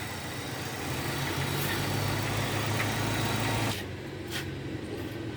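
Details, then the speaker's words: 2002 Hyundai XD (Elantra) after replacing spark plugs and plug wires in correct firing order, fixing cylinder 1 misfire: smooth even idle with steady low drone, no skipped beats; running on all four cylinders. "والعربيه تدور معايا مظبوطه دور كده طبعا الدنيا اهي ما فيش اي حاجه اهو الدنيا تمام"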